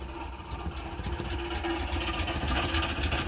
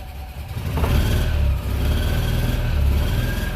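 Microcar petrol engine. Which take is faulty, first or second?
first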